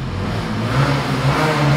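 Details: TVS Jupiter scooter engine, oil level full, running with a rough deep rumble and uneven churning; found to be worn crankshaft bearings, which were replaced.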